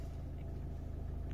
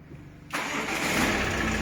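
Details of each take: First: Ford Mondeo MK5 2.0 TDCi DW10F diesel, about 370,000 km, after an oil pump repair for low oil pressure faults: starts instantly and settles to a smooth, even low rumble, no knocks; oil pressure about 2.5 bar at idle, near 6 revved. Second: Ford Mondeo MK5 2.0 TDCi DW10F diesel, about 370,000 km, starts and idles with a loud steady whirring hum from a worn oil pump, not belts or timing; low oil pressure fault, max 3 bar.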